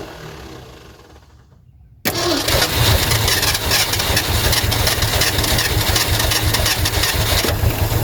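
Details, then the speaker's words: 1972 Ford F350 Custom abandoned one-owner truck, big-block V8, four-speed, cranking after the fuel line was refitted to backfill the pump: cranking at about three turns a second, catching but never picking up. Fuel starvation, pump not delivering, no start. "Oh, it's so close. Oh, it's so close. It's wanting to come on."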